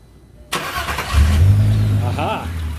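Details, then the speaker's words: 2002 VW Golf VR6 GTI 2.8L, started after an AMSOIL engine flush had been added, as the before-and-after reference; a short crank, then it catches cleanly and settles into a smooth, even idle with a steady low hum. "go ahead let's start her up we'll see what she sounds like we'll get a little before and after so you can hear exactly what the engine kind of sounds like before and after"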